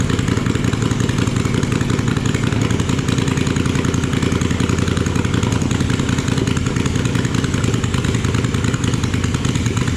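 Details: Junkyard Kohler single-cylinder engine after crankcase reassembly with new seals, first start after repair: steady even thrum, no misses or knocks; problem found, looks set to be a good runner.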